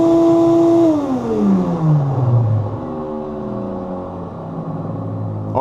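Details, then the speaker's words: Ridgid shop vac switched off: motor whine dropping in pitch as it slows, from dry motor bearings; owner oils them since it can burn out otherwise. "it'll start to whine right when you turn it off as the motor's uh slowing down and I've had this happen before so I'm going to go ahead and oil it cuz sometimes it can burn out if you let it keep going like this"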